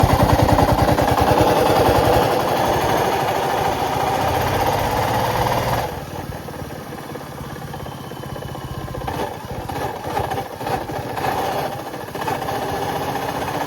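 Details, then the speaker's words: Royal Enfield Classic single-cylinder: a busy, rattly mechanical beat under the exhaust while running; the engine bearing has failed, with replacement under warranty. "ये आवाज है रिबॉल क्लासic का और इसकी गाड़ी का इंजन का बैरिंग खराब हो गया है"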